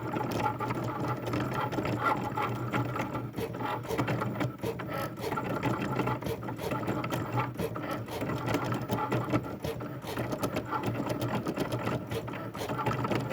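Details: Cricut cutting machine: busy, rattling mechanical chatter runs steadily throughout the cut, far louder than it should be; cause unclear.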